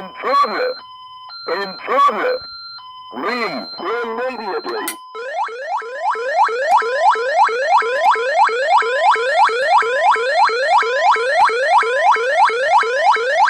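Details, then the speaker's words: ADT SafeWatch Pro 3000EN armed instant with an ELK-110 siren driver switched to its alternate tone, burglary zone tripped. A few short chirps, then a rapid repeating rising siren sweep at about three a second. "s all of these and I'll change the tone inside on the siren driver and we can listen to the other tone"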